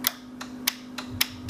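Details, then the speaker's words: Air-suspension solenoid clicking sharply about three times a second over a faint hum on a 2017 Harley-Davidson M8 Touring with an Xotic Customs Taildragger rear kit; the tank is full but the manual shut-off valve is closed, so no air passes and the bike won't lift. "you can hear the solenoid clicking, but no air is getting through."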